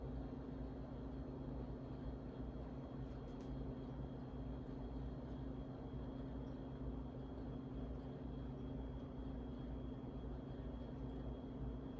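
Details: Harbor Breeze Asheville 52-inch ceiling fan from February 2013, five blades, before restoration: steady low electrical hum with faint high tone and little air sound; motor struggling on a bad capacitor.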